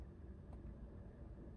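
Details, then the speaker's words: Cooling fan commanded on via scan tool bidirectional actuation test, relay clicking under the hood: steady, even low whoosh with no ticking, scraping or wobble; fan running normally. "I'm going to turn on the engine fan for a moment here the fan fired up"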